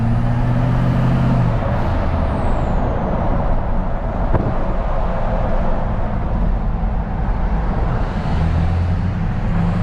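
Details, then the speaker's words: Pickup truck on 33x12.50 AMP Terrain Attack mud tires cruising downhill at about 50 mph, windows up: steady low road rumble with only faint tire whine on throttle lift-off; normal, not bad. "i'll get on it a little bit and let off the throttle you guys can hear there's some you know whining noise or or tire noise i don't know what you would call that it's really not bad though"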